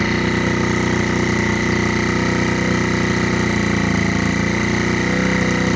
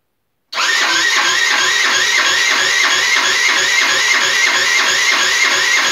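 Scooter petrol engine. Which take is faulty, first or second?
second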